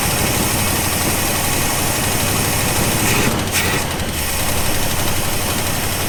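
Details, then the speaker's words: 1974 International Harvester D150 pickup, IH 345 V8, abandoned in a farm field: loud lumpy uneven idle still misfiring and running rough after swapping a spark plug wire; no accelerator pump squirt in carb, full tune-up suspected needed. "We've got some issues here. Maybe a full tune-up will get us going a little bit better."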